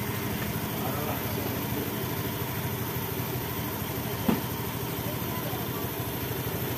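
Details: Honda Beat ESP scooter idling after repairing peeled black/white CKP sensor wiring (MIL code 52, intermittent stalling) and resetting the code: quiet, even putter at steady idle, no misses or surging, light street noise; normal idle.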